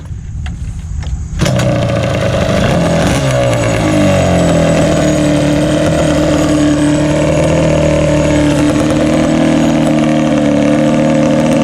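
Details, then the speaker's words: Yamaha Banshee two-stroke ATV warming up with an ongoing right-cylinder smoking problem: crackly, uneven burble with a wet, sputtery edge, and liquid shooting out of one exhaust pipe, though it still sounds good. "I noticed there's some liquid shooting out of the one exhaust pipe it's bad it still sounds good though"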